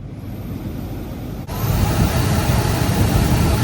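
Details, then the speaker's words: Honda Element HVAC blower after fan swap to OEM part 700005; old fan had 265,000 miles and sounded wonky: quiet start, then steady strong air rush with no rattle or whine; new blower runs normally. "Whoa. She's blowing good, and it's quiet. I like that."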